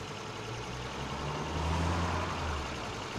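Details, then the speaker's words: Older carbureted car with manual choke and distributor-and-coil ignition, after cleaning/improving ignition coil pins and fixing valve cover oil leak; low even idle, no misses or stumbles; running smoothly, owner hears improvement. "immediately I can hear the difference in the engine uh before this whole project"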